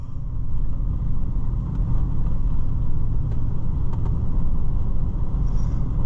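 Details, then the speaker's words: 2016 Ford Super Duty on a test drive after replacing both front wheel bearings: only a very faint steady tire drone from deep-tread all-terrain tires, no hum or growl building with speed; normal road noise. "There is no sound at all, except for a very, very faint tire on the road sound. And that's the way it should be."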